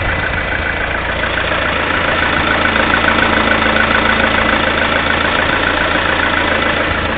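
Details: Lada Kalina 1.6 16-valve, 2,100 km mileage: steady idle with a sharp, regular knock of roughly three or four per second riding over the engine. Engine knock at idle.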